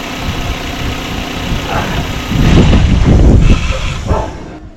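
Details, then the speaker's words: Running engine with its crankshaft position sensor, mounted at the rear of the block, unplugged. The steady idle lurches and dies within a couple of seconds and will not restart until the sensor is reconnected: stall from unplugged crank sensor. "se apagó se apaga completamente y al tratar de encender no enciende"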